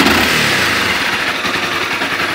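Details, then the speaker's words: Honda CBR 250 running at a steady busy speed with no knocking, after fixing a noise that occurred when accelerating, caused by a part seated crooked and touching. "a solução de um problema que eu posso ligar agora está normal ela toca"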